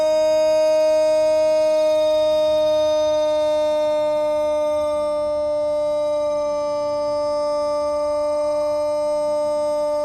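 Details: Thunderbolt tornado siren with bad bearings, still broken: holds a thin, low, slightly sagging tone instead of winding up to full pitch and volume.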